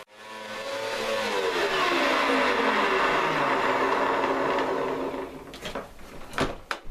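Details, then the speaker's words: Upright vacuum cleaner after a slow brush roller fix. The motor spins up and holds a steady whir without sagging, over a faint rumble from slightly rumbly bearings; the brush roller now keeps its speed. "previously you'd do that and you'd hear it slowing down, but now it doesn't. Whoopee. So there you go. It's fixed."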